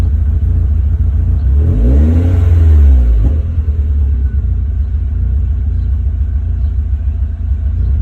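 A quick blip of revs, then a deep, uneven idle rumble that wavers instead of settling; a warm restart leaves it idling rough.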